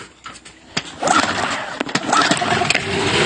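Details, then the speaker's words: Boat engine that dies at low throttle unless choked, choke pulled and throttle opened: a few sharp pulls and sputters, then it catches with a rich, uneven buzz; hard starting. "Sekarang ni sorry lah nak start sebelah tangan ya. Dia tak mau. Apa hal ni? Apa hal kena tarik cok pula?"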